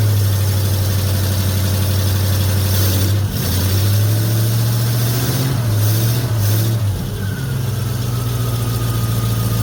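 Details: 1950 Ford F1 with Flathead V8 8BA after replacing the leaking exhaust manifold gasket and the missing header bolts, about 45°F outside: smooth, even idle burble with a couple of throttle blips, no ticking or puffing; now quiet and healthy.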